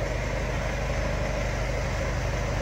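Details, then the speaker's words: Mercedes Vito diesel starting normally as before after SMS re-enable of the alarm/tracking system's engine immobiliser: smooth, steady low idle rumble with no stumbles or knocks; healthy idle. "Λάβαμε την επιβεβαίωση, οπότε τώρα μπορούμε να μιζάρουμε. Και παίρνει μπρος κανονικά όπως πριν."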